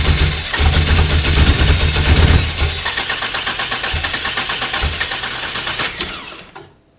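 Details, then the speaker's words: Toyota 1AR-FE MR2 Spyder on a Haltech Elite 1500, flood-clearing at −50% fuel after over-fuelling: loud rough running with stumbling beats and dropped firings as it dies. Misfire; timing light skipped beats, suspected ECU sync-mode change, unconfirmed. "okay so that's interesting i was actually watching the timing light and the timing light was skipping a beat"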